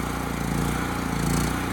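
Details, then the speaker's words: Homelite HG5000 generator after new stator and rotor fitted: even loud chugging that sounds lazy, no hunting or misses, turning slower than governed speed; hertz and voltage low, power output restored. "The engine speed is low,"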